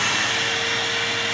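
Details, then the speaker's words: Bissell CleanView II Plus bagless 3576M 12-amp vacuum after a fix for sucking sound and power loss: steady even rushing roar with faint hum, no gulping surges; normal running. "yeah I'm calling it a good one I'm calling that a fix that is fantastic"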